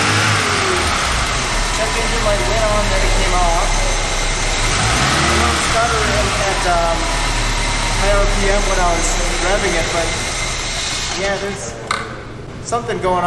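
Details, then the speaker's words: VW Mk3 with 2.0 L ABA engine and 5-speed manual, abandoned non-runner: revs rise and fall unevenly with a stuttering beat, then sag and cut out as the check engine light comes on; owner suspects a fuel issue. "check engine light came on and then the thing shut off all right I'm pretty sure this is a fuel issue"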